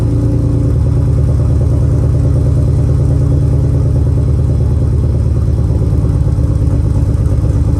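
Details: First run of a temporary replacement engine (original block destroyed), fuel pump fuse refitted, logged with HP Tuners: lumpy, uneven idle with a chuffing, irregular beat. The owner suspects a vacuum leak, possibly the plugs; it was too dark to find it.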